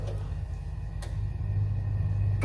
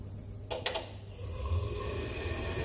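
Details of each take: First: Ideal Isar HE35 boiler showing an LF fault, restarted with reset: steady fan hum with sharp ignition clicks about every 1.5 seconds, burner never lights; tries three or four times before locking out, spark generator under test: failed ignition attempts. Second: Ideal Isar HE35 boiler showing LF fault code, after replacing the spark generator: a couple of sharp ignition clicks then burner catches into a steady low roar; ignition restored, normal burner lighting.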